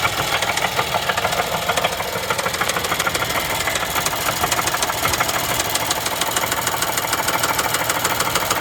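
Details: 2011 Chevy Traverse 3.6L V6, towed in after stalling on the highway with noise, hard start on jump box: loud rapid metallic tapping about two per second at idle; failed timing chains, codes P0011 P000D P0024.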